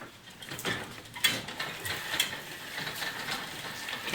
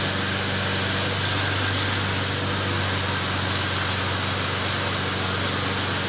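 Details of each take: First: McLane mower chain drive, apparently never lubed, before oiling with motor oil: light irregular clicking, ratcheting and squeaking as the chain turns; dry drive chain. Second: McLane mower, rear lifted so the freshly lubed drive chains freewheel without driving forward: small engine running at a steady, even drone with low constant hum, no knocks, misses or surging; runs healthy, readied for sale.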